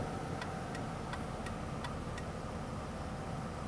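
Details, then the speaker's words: 2001 Ford Taurus turn signal with working bulbs: six sharp, even clicks about three per second, then the clicking stops dead; intermittent signal caused by a failing flasher relay under the steering wheel. "Okay, it's not supposed to do that. Try it again. Okay, that side's working. Okay, it stopped. Okay, it's intermittent and it's not supposed to be doing that."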